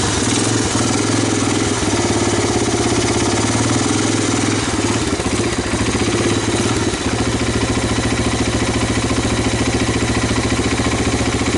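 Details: 1985 Honda ATC250ES Big Red, rodent-infested, stuck-valve three-wheeler abandoned 20 years, first start with choke on. Steady even single-cylinder thumping at slightly raised idle, no misses or knocks; healthy cold idle.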